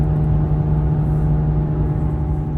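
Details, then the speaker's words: 2007 Honda Civic (press-in bearing) driving: steady low drone and growl, a grinding that speeds up with vehicle speed and fades when steering one way; worn front wheel bearing, to be replaced. "signs of a bad wheel bearing normally presents itself with a grinding noise the grinding sound will speed up the faster the vehicle goes listen to hear the grinding of the wheel bearing on this Honda Civic can you hear"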